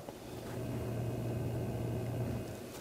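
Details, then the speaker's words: Anidees AI Crystal Cube MAR 3 case RGB rifle-bearing fans at the lowest setting: steady low hum with an airy rush, too loud even at minimum and much louder at maximum. "the lighting is really nicely done it's very bright very vivid lighting but the thing I kind of dislike about it is how loud these fans are it's they say it's quiet with their rifle bearings all but just listen to it right now"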